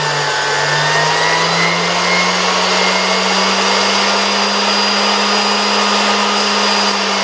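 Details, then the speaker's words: 1973 Zelmer 01A vacuum cleaner, type 34 suction motor removed from the housing and run on a regulator at much reduced voltage; rotor spins freely. Steady clean whirr holding even pitch, no scraping or wobble; normal run. Owner will monitor a possibly warm capacitor. "I feel like the rotor spins quite nicely. Let's try to start the motor again at low voltage."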